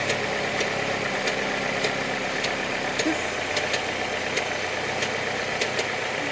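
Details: Opel Astra G 2.2 engine at idle: sharp click about every 0.6 seconds, roughly 100 a minute, over a steady idle; an unexplained engine tick.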